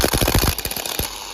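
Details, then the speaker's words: Ford Focus starter, old unit bench-tested for comparison: short, choppy crank with uneven chattering pulses that trails off. Rough, worn starter cranking noise; starter believed to be failing. "I don't like the way that one sounds. Oh, yeah. Yeah, mine's definitely going out."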